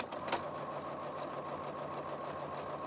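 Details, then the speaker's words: Janome 15000 Horizon sewing straight stitch at slower speed on doubled scrap fabric after rethreading: light even whir with soft regular patter, no clunks; normal straight stitch, picking up bobbin thread fine. "hear that that's the way the machine is supposed to sound it purrs like a kitten"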